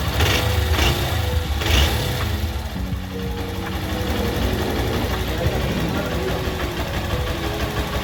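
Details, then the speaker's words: Honda Bros 160 motorcycle after repair of an engine noise traced to the cylinder kit and connecting rod; a low, steady single-cylinder thump idling evenly with no knocking or tapping on top, the engine now quiet and healthy. "Motorzinho ficou OK, ficou zero, pessoal, zero bala, sem um barulho, pessoal."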